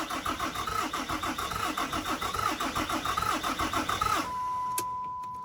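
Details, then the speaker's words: 2008 Dodge Ram 3500 6.7 Cummins diesel, fuel confirmed at the filter; starter cranks in a steady rhythm about four seconds, never fires, then a chime; tach moves but no oil pressure shown, cause unknown. "I'm seeing the tach move. Not seeing oil pressure move, so I don't know."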